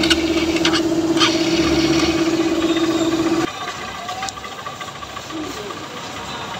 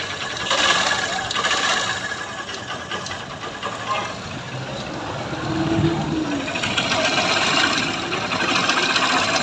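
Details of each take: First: Honda Trigger motorcycle after tappet-cover work (cam and rocker had been marked) and fitting of all-original parts: small single idling with a steady, even beat and no loud top-end clatter; normal idle. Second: Honda Trigger motorcycle at idle after engine replacement elsewhere: fast uneven ticking and clatter over a light idle; tappet cover off shows badly worn, scored camshaft and rocker arms causing the noise, to be replaced with original parts.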